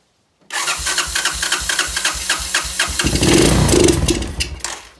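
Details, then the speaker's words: Neglected 1986 Honda TRX200SX quad, first start attempt with carburetor cleaner sprayed straight into the carburetor: steady cranking, then it catches and revs briefly before dying; carburetor and fuel petcock suspected. "i'm going to try a little bit of the old tried and true here some carburetor cleaner straight into the carburetor and see if we get a little bit of life to it"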